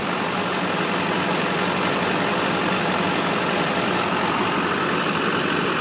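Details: 2001 HD2500 Duramax turbo diesel, 181,000 miles, new glow plugs, starter and fuel filter mount: smooth, steady idle clatter with light turbo hiss, even, no odd knocks; healthy normal idle.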